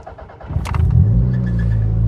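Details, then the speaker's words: Toyota MR2 on third or fourth engine with new timing belts, gaskets, O2 sensor and turbo internals, starting: brief crank, catches within half a second, settles to steady even idle; normal start. "Starts up nicely."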